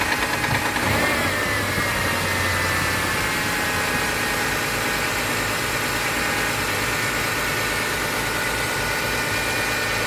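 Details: Mitsubishi 6G72 V6, cold start: steady idle with light, fast, uneven ticking that lasts 1–2 minutes then disappears; owner suspects hydraulic lifters, not confirmed.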